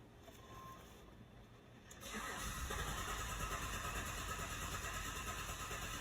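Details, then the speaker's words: 2016 GMC, codes P0232 fuel pump control circuit high voltage and P023F: the engine cranks steadily at about three turns a second but never fires, and fuel pressure stays at zero against 561 desired; crank no start. "as you can see still zero so the vehicle will not start at all and in this video I'm going to show you how to diagnose this issue"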